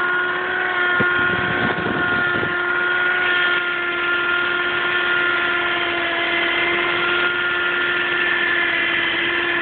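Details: 2007 Audi A4 3.2 quattro running with a steady constant-pitch hum that often comes when driven aggressively; cause unknown.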